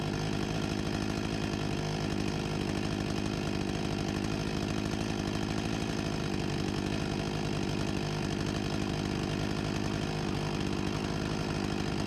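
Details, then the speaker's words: 1989 Husqvarna 254 G two-stroke chainsaw after new fuel line and carburetor refurbishment, idle set near 3000 rpm: steady, fast buzzing run above 13,000 rpm with no load, without surging or stumbling; healthy. "Sounds like a good speed right about here 13.000+ RPM with no load ... and to think this saw is 35 years old (1989)"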